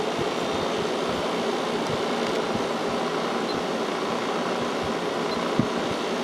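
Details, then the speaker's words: 1995 Kenmore 5,450 BTU window AC with GE PSC fan and Sanyo compressor, about 20 minutes in, now on high fan after 3.78 A, 423 W on low: steady air rush and smooth motor hum, blowing cold air despite a heater aimed at it, healthy. "this is blowing nice cold air even with the heater going right into it so I think that's where it's going to sit now"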